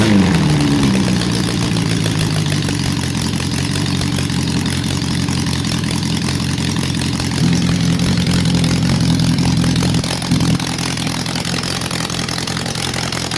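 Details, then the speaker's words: Honda CB750 under restoration, first start on choke with a squirt of fuel, small jets, running a bit rich: choppy, lopsided idle that stays ragged through a light rev; misfire, one cylinder not firing. "Lovely and quiet, but we've got a cylinder that's out, so hope you enjoy."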